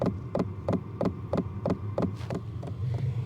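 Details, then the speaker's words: Diesel heater dosing fuel pump, mounted on the side of a camper, with the heater not yet fully up to temperature: sharp, even ticks about three per second over a low hum, resonating into the camper; fuel pump ticking. "All right, it's not quite up to temp yet, but okay, let's put this right here. I'm sure you guys can hear it."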